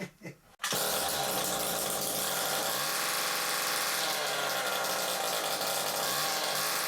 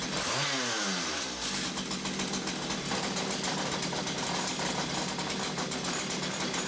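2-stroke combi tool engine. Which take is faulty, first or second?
first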